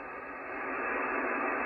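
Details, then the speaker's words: Icom IC-746 Pro after full power cycle, supply at about 13.8–14 V, squelch working and S-meter back down: steady even hiss with no crackle, distortion or dropouts; normal receiver background noise. "it sounds normal and the s meter is gone you know how it was full scale before now it's uh it's all the way down"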